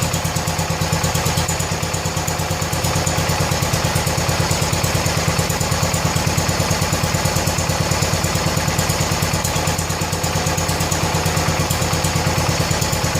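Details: 1970 John Deere 140 H3 garden tractor single-cylinder, just after replacing a severely leaking blown head gasket: steady, even putter about three beats a second, no misses or knocks; runs good and quiet, left running out of gas before oil change.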